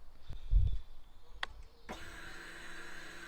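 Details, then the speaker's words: Honda VFR800X Crossrunner V4 motorcycle in neutral, key switched on before a cold start: a few soft clicks then a faint steady whirring hum as the fuel pump primes; normal fuel pump priming. "here we go that's actually the fuel pump firing up it's neutral so we can go ahead fire it up"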